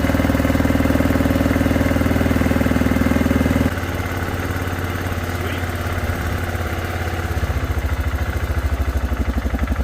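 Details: 2006 Arctic Cat 400 4x4 quad that wouldn't start, now running after a shot of brake parts cleaner as starting fluid: steady thumping idle about four beats a second, firming and running on its own; no oil burning smelled, air filter dirty.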